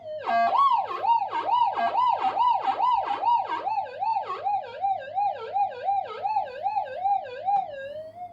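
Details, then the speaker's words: Upgraded Minelab GPX 5000 on full gain, normal timings, ground balance tracking on, coil swept over an ironstone hot rock: warbling tone rising and falling with each sweep, softening as tracking removes the hot rock response. "But anyway, it'll basically, on full gain, remove the response from the hot rock."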